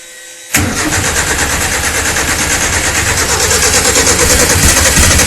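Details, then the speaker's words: RWD turbo Nissan Micra on 280 hp map, first start after fitting a lambda sensor; fires after a short crank into a loud, lumpy, uneven idle with coarse chuffing beat, described as sounding like a tractor; rough running. "this thing sounds like a tractor those it's got those silences"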